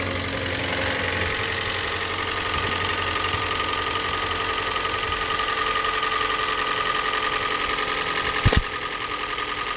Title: Hyundai I30 GD 1.8 VIN:ⓘ KMHD251EMDU125491 PISTON SLAP sound